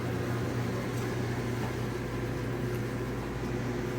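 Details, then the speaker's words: GE dryer (model 453EB2W) after front and rear drum bearing replacement: steady low hum and even airflow with no squeal, thump or grinding; drum runs smoothly. "All right. Looks like it's working."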